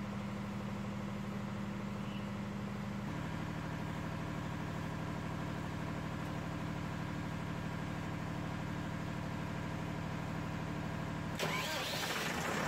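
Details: Perkins diesel generator set with Power Wizard controller and a bad starter relay that stopped it cranking, new 12 V 40 A relay on hand: it starts and settles into an even, steady idle with a constant low drone and no misses or knocks.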